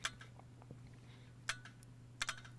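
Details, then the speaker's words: Electronic EGR valve, cleaned and bolted back onto the engine with its cooler, tested with 12 V applied. Quick sharp clicks over a low hum as the actuator moves and seats the valve; the action is snappy and normal after the cleaning. "and you can hear the valve the actuator moving the valve quite nicely there we go"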